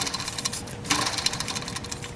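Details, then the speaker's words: 1991 Ford F150 4.9L I6 during serpentine belt replacement, belt off, tensioner pulley spun by hand: dry, gritty whirring with scattered ticks fading as it slows; worn tensioner bearing suspected, play unknown. "again i'm not sure how worn this is because you can hear all the bearing noise in there i'm not sure how much play there is but"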